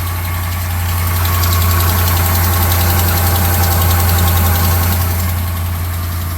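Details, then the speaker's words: 2011 Ram 1500 Sport 5.7L Hemi V8 at idle and revving: fast light tick, about four a second, mainly passenger side, from an exhaust manifold leak caused by a sheared manifold stud, not the Hemi tick. "you can hear a tick which when I rev it up it sounds like it's got an exhaust leakless on this side"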